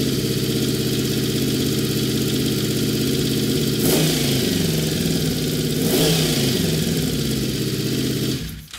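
V4 holds a fast, uneven idle that won't settle down; carbs are badly out of sync, one cylinder's throttle held open.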